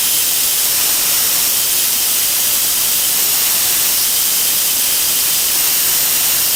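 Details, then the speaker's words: Ozito DBS-095 drill bit sharpener, bit wriggled with light force: steady, even, high hiss of the stone on the bit with no chatter or catching. It is normal grinding, and the bit is taken right back to a very nice edge. "Okay, [clears throat] it's taken it right back and it's created a very, very nice edge on the drill"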